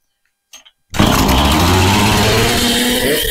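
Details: Husqvarna chainsaw restarted after an oiler repair with the clutch and gear reinstalled: it fires on the first pull at about one second into a strong, steady, even run, and the oil pump is confirmed delivering plenty of oil.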